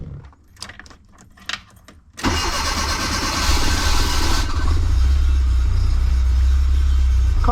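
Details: 1984 Bertone X1/9 after a no-start, fixed by refitting the windshield wiper fuse that also feeds the fuel pump: brief quiet, then it catches at once and settles into a steady, even, deep idle. Normal start and run.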